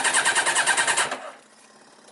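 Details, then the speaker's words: Yamaha Diversion that wouldn't start after a garage chain and sprocket job: fuel pump working, fuel reaching the carbs, new spark plugs. The starter spins evenly at about five pulses per second but it never fires. Crank, no start. "So, it doesn't want to know. So, that's fine. Um, so we've got fuel coming through."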